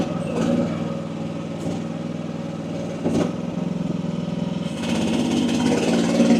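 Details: AGT WH12R 1-ton Chinese mini excavator digging with relief at about 2300 PSI: diesel holds a steady note, dips and recovers as hydraulics load up, never bogs; running healthy, owner judges pressure optimal.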